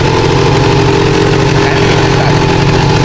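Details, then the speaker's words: Honda MBX125F two-stroke motorcycle, stationary, just kick-started: fast, even crackle at a slightly raised idle, steady with no misses or knocks; standard sound, healthy engine. "Okay, tadi saya start enjin yang tidak bergerak lah. Bunyi dia standard je."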